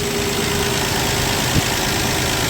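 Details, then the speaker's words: 1965 Plymouth Valiant 100 slant six, 3-speed, warming up with coolant circulating, radiator not leaking, still charging: even, smooth, quiet idle with one brief click, no knocks or misses; normal warm idle. "It's running so nice and quiet and smooth. Dang. I'm excited."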